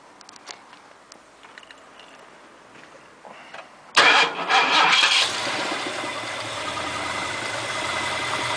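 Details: 351 Windsor V8 in an XF Fairmont, just installed after sitting unused for seven years, cranks and idles with a faint, steady knock; it has plenty of oil pressure and no power loss.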